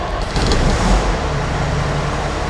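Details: Kenworth T300 with Cummins ISC diesel, no-start fixed by replacing a blown fuse so gauges and electric fuel pump work: quick crank, catches and settles into steady even rumble, no misses or knocks; the blown fuse indicates a short to check.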